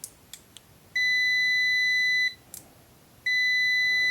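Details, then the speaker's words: KAIWEETS KM602 multimeter in automatic (smart) mode beeps on continuity while measuring a 10-ohm resistor. Two clean, steady, high-pitched beeps: buzzer working normally. "It beeps because it sees continuity."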